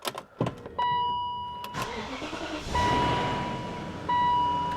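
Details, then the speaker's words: 2001 BMW 740iL, about 16–17 years old, cold start after sitting roughly a week in a garage, lapel mic: door chime, a brief crank, then it catches at once into a smooth, even idle; healthy cold start. "Starts right up. It's been sitting for, I don't know, roughly a week."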